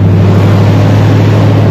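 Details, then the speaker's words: 1979 Chevy C10 with a 305 V8 and carburetor, first start after sitting in an abandoned storage unit for years, jury-rigged fuel line. Deep, even V8 rumble with no misses, knocks or rattles. Normal running; owner says it sounds amazing. "Listen to that, sounds amazing."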